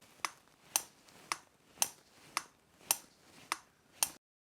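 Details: Short Turkish bow, new: crisp, bright clicks about twice a second as the bowstring catches on a small sharp corner of the bow, a manufacturing flaw to be fixed.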